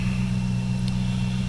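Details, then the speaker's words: Freshly installed JS 240 amp alternator at idle: thin steady high-pitched whine over deep even engine idle, voltage reading about 14.0 instead of the usual 14.4; owner fears whine means it's about to die. "fair warning whenever I've had an alternator whine like that in the past means it's about to die"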